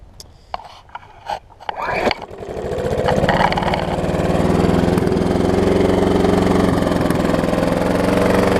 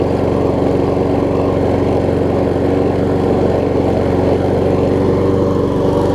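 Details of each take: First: Troy-Bilt self-propelled mower with blown Briggs engine, heavy blow-by and smoke: pull-starts, then runs wide open with rough uneven knock underneath; engine failure suspected. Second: Troy-Bilt self-propelled mower with donor Honda engine replacing blown Briggs, after restart; steady even putter, no misses, knocks or surging; seems a tiny bit low on compression but runs good.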